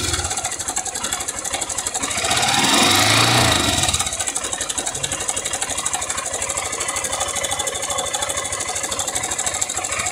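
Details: "660" motorcycle engine revved: hollow, regular slapping knock about three times a second, swelling with revs, rattlesnake-like; rocker arms checked under opened top cover, noise from the cylinder, early piston skirt slap.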